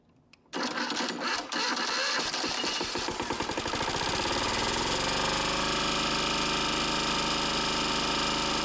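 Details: 1994 Lister Petter AD1 single-cylinder diesel 5 kVA generator, cold start after 8+ months unused, turned over by hand first: uneven cranking for about three seconds, then it catches and settles into a steady, even rapid thump at its 3000 rpm rated speed, running fine.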